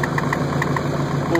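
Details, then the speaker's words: 2000 Ford F-150 5.4 V8 at idle: sharp chirping ticks about seven per second locked to engine speed over steady rumble, traced to an exhaust leak at the exhaust pipe flange. "f-150 and i'm sure you can hear that chirping noise well i found out what it was"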